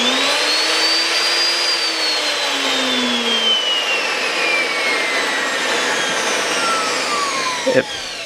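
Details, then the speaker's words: Non-variable-speed router rebuilt from two broken tag-sale routers with both good bearings fitted, coasting down after switch-off; high whine easing smoothly down, no rumble or grinding — normal coast-down after repair. "Coast nice and smooth so I have one working router from two broken routers"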